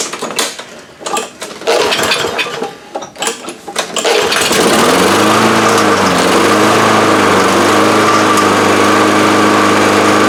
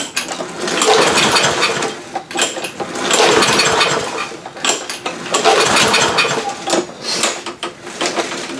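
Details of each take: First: Free roadside Lawn Boy push mower: after some rattling and pulls it catches and settles into a steady, even buzz with only slight speed wander; mower runs. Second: Free roadside Lawn Boy push mower, tried in garage without air filter, damp from rain, fuel left in tank: three slow pull-cord rips about two seconds apart, never fires; no-start, carburetor suspected, gas later found nasty.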